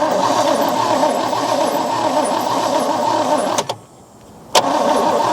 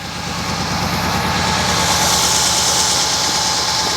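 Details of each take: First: 1963 Oldsmobile 98 that sat in dirt for years is cranked by a jumper-wired starter. It turns over freely, not locked up, with even, rapid churning that pauses and resumes but never catches. No fuel comes from the fuel line. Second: 1963 Oldsmobile 98 just revived, idling in park while still burning off old oil. Exhaust sounds like glasspacks. Even, quiet, sewing-machine-smooth idle with no knocks or misses. Normal idle.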